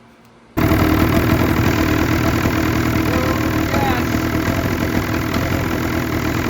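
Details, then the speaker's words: Ski-Doo 146 snowmobile started after the fuel injector, which had been spraying fuel, was rebuilt and reinstalled with its bolts torqued: it catches at once and settles into a steady, busy idle with no misfire or stumble. "We're gonna fire it up and see if we get gas spraying out again. So they're torqued down, tightened up, everything should be ready to go."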